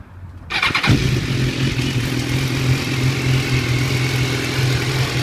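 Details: 2014 BMW S1000R with 1,600 km, running-in service done at 1,000 km: engine starts and settles to idle with a light, rapid ticking over the steady hum.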